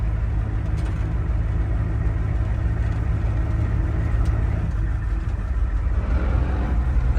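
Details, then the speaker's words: 1973 Ford F250 with 7.3 IDI turbo diesel and 37-inch tires, driving under load: deep, uneven diesel rattle, which is gear rollover from the single mass flywheel. "sound is called gear rollover it's with a single Mass flywheel on this diesel motor"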